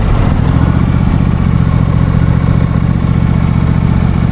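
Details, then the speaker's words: John Deere D130 lawn tractor running with blades engaged, deck raised all the way so not cutting: steady, even engine drone at constant speed, no knocks or rattles; normal running. "let's turn the blades on let's see what this thing sounds like I have the neck all the way up so I'm not really doing any cutting"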